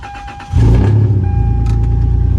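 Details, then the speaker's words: 1996 Toyota 4Runner 3.4 5VZ-FE after head gasket and cylinder head replacement, engine cold: quick crank and clean catch, then smooth even idle with steady low rumble, no knocks or misses; runs well, no check engine light. "I will give you guys a little um cold start. Yeah, the motor's cold"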